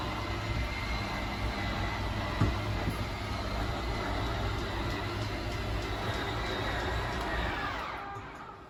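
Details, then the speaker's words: 2022 Tracer 24DBS travel trailer, slide-out switch held to extend: steady electric motor whine under a low rumble that winds down and cuts out automatically at full extension. Normal slide-out motor operation. "so once that side's fully extended we're gonna hear some sorry you're just gonna hear the motors whine and then they'll kind of stop automatically"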